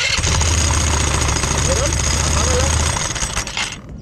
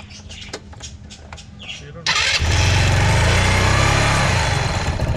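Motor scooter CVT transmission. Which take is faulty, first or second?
first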